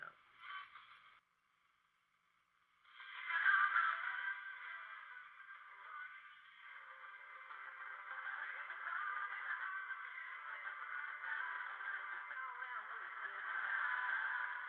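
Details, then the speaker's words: Philco 37-61 radio after restoration and speaker recone, line voltage brought up to about 115 V; midrange program sound plays steadily with no hum; working normally, though it probably still needs alignment. "Probably needs good alignment. I don't hear any hum. That's a good thing."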